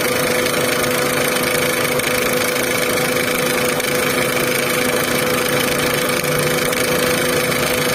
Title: Volkswagen Vento engine noise problem | Vento engine sound problem | #carengine #car #usedcar